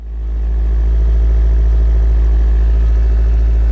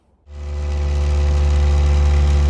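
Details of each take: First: K20-swapped Honda Jazz/Fit on cold start after fitting an FN2 intake airbox with built-in MAF: a low steady idle, then a throttle blip that climbs and drops back cleanly. The idle is much lower and the engine now revs. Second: K20-swapped Honda Jazz/Fit on cold start: a steady, noticeably high idle hum with rattles from the solid engine mounts, and it won't rev. Intake had no MAF sensor fitted and the ECU still needs one.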